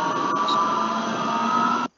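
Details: Electric motor with a steady, pure bearing whine over its hum until it cuts off. The same bearing set was noisy again in another motor, and the first motor was silent after a bearing change: a bearing with inner ring waviness.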